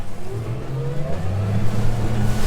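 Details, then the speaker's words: Boat that had been limited to 4,500 rpm, after fixing the trim sensor: engine pulls strongly and climbs smoothly to full throttle at 4,900 rpm without cutting out; normal wide-open throttle. "yep we got our RPM back 4,900 running just the way it should beautiful"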